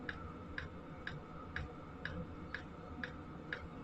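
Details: Sunster 5 kW all-in-one diesel air heater running, outlet air around 50°C: crisp even ticks about twice a second over soft fan hum, fuel pump metering normally.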